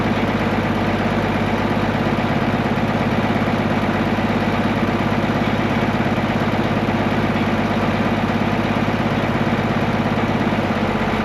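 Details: Case 1175 tractor diesel parked 15 years, revived with ether: a steady, even idle at about two beats a second with a deep, unchanging drone, healthy; it won't go into gear, suspected clutch out of adjustment or worn out.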